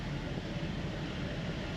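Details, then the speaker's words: 2010 Buick Enclave CXL V6, warmed up after a cold start, idling steadily and quietly with an even hum, no stumble or hiss, after a vacuum hose leak that caused misfires and stalling was fixed (owner had been told it needed ignition coils). "ahora está callado y todo era por culpa de del vacum que tenía la manga ya está está serenito"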